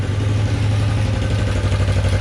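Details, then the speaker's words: Bobber motorcycle project, carburetors adjusted, warm, idle set about 1200 rpm (was idling at about 4,000): low, steady idle without hunting; some chatter remains, possible leak. "She's idling. I got the idle currently set about 1200."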